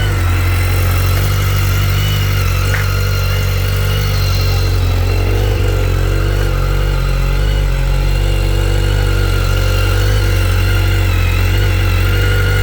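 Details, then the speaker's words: 2010 BMW K1300GT motorcycle at a cold start: steady, even four-cylinder idle with a strong low hum and no ticking or misses; sounds good and strong, no smoke, healthy. "Sounds good. Strong. No smoke."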